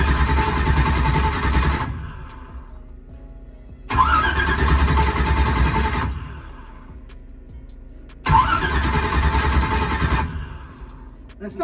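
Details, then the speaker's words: Drag race car on its older starter, with the battery freshly charged and ignition off, cranks sluggishly in three two-second bursts with uneven compression pulses; the 16 V battery drops to about 12 V, and the owner suspects the battery or starter. "it's starting to crank over a little bit slower and either my battery is going bad or either the starter is"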